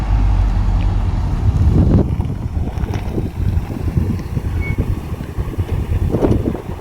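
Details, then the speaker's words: Lotus Excel back on the road after 17 years sat in a garage, carbs rebuilt and timing standard, passed MOT with no advisories; driving home for an hour and a half, low smooth rumble with road and wind noise, no misses, running well. "She ran so well all the way back."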